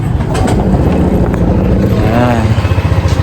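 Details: Honda PCX 150 scooter at idle: uneven clattery low rumble from the CVT; before repair.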